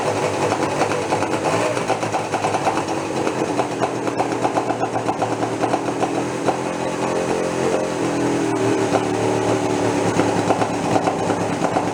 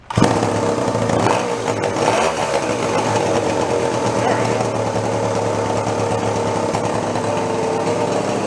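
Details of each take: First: Homemade twin-engine two-stroke moped built from scrap, first run after sitting over a year: steady buzzy idle with a single engine's beat and no second pulse. Only one of the twin engines is firing; owner thinks the other has no fuel yet. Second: Scratch-built steampunk moped with a small single-cylinder engine (possibly a 1942 unit, about 2 horsepower), first run after storage: fires up and settles into a steady, even buzz with no drag or stumble; runs normally.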